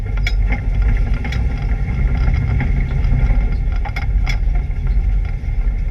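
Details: ABR Camaro on track with a misfire: loud, low engine note with an uneven, stumbling beat and occasional gaps in the firing under load.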